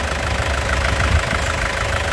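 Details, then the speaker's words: 2014 Isuzu Panther LS Turbo diesel, about 72,000 km, original: smooth, steady low rumble at idle with an even beat, no knocks or misses; calm idle judged a sign of a good, well-kept engine, normal diesel idle. "kalau mesinnya bagus walaupun diesel ini tenang seperti ini Ya kalem ya jadi mesinnya dari suaranya termasuk bagus"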